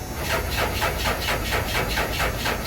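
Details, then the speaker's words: Diesel truck: starter churns engine over evenly at about four beats a second with hiss but it never catches; cranks, no start, cause not confirmed. "Oh, she dead. Oh well. All right, well, I guess we're not gonna get to fire it up."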